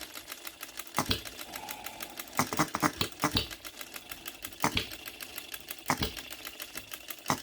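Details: New OKMO Retrol B02 miniature petrol hit-and-miss engine with new carburetor, first run, on shellite with distilled water in the hopper: sharp pops irregularly about a second apart, light ticking coasting between. Normal running.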